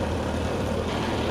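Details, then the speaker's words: Toyota 4K-series engine after tune-up (plugs and leads fitted, dwell 52°): steady even low hum holding 800 rpm idle, within spec, no knocks or misses; normal idle. "Nah, ini sudah sesuai spek ya guys, 800 RPM."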